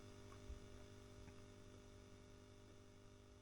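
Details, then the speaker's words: Selmer Little Giant valve amp being converted to a 5F2-A Princeton, volume control at full with guitar unplugged: quiet steady low hum with faint buzz, residual capacitor hum remaining. "it's flat out now look how quiet that is you can still hear the capacitor humming a"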